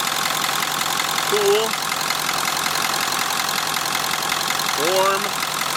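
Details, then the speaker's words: 1946 Ford, cold idle on first run out of shop, freshly filled with about six gallons of antifreeze, downsized radiator, far below thermostat temperature: steady even idle hum under loud hiss, no misses or knocks, smoothing out; normal cold idle. "pretty good size cooling system even with a downsized radiator just listen to it it's smoothing out a little bit"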